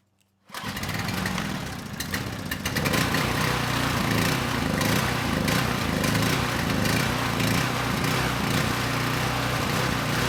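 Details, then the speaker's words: Coleman Powermate Pulse 1850 generator, 1996 engine, long unrun, before carburettor repair: small single catches, then runs uneven and hunting with ragged exhaust, smoothing only at half choke; still powers 1500 W load; rough running, carburettor issues. "yeah that carb it does have issues i had to choke it about halfway to get it to kind of smooth out but the good news is it makes power it could support a 1500 watt load"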